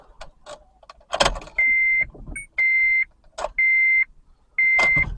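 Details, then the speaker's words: 2008 Honda Civic towed in, new battery at 13.22 V, key turned to crank: steady chime about once a second with some clicking, starter never turns; no crank, warning chimes only. "there you go it's uh no crankness start crank again nope no crying no start"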